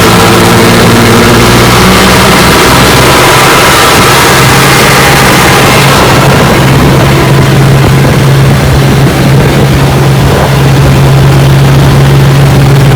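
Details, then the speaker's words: Rebuilt 1959 Evinrude Golden Jubilee 18 hp fast twin two-stroke outboard on a bayou test run after a cooling problem. It pushes a 14-ft boat about 20 mph, not fully opened up. Steady, strong drone with an even low hum under load, no misses or rattles. It is cooling, so normal running. "Alright, got her out here on the bayou, and she runs just fine. She's cooling."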